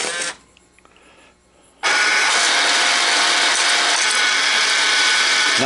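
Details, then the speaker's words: American Changer first-generation green stripe coin hopper, reassembled after gear change and regreasing, running empty: loud, even, high-pitched whir holding steady — normal hopper running noise. "It's about how they should sound. They're never going to be dead quiet, guys."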